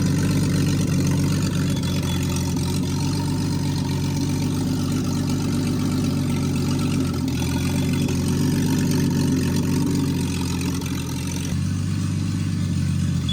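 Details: Rebuilt Triumph TR6 engine on its first start, warmed up with the chokes off and the distributor adjusted, held at a fast idle for camshaft and tappet break-in; it runs steadily and smoothly with no knocks or misses after a tricky cold start.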